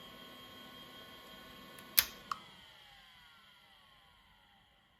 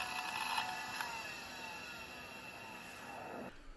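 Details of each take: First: Old IDE hard drive that passed Check Disk and a full ScanDisk surface scan with no bad sectors, shutting down: two sharp head clicks, then the spindle whine slides smoothly down in pitch to silence; normal, healthy spin-down. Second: Conner 21 MB IDE hard drive (CP-3024) that the machine could not boot from, stuck at POST: thin high whine with irregular ticking and rattle, then the motor cuts out; drive failing to spin up, cause not confirmed.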